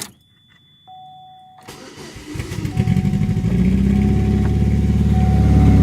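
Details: Short crank, then a deep, loud, raspy rumble swelling with revs from a 2002 Cavalier with the muffler cut out, running again after a cylinder head and gasket replacement; muffler-delete exhaust.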